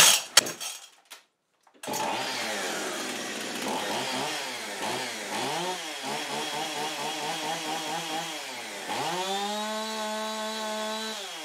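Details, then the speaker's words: Husqvarna 55 chainsaw, 12 years old, which last fall started poorly, stuttered and stalled; after reassembly (no spark seen when tested) it fires and runs clean with a steady high buzz, revs rising and falling evenly without misses. "but when I put her back together it starts in her runs good doesn't miss"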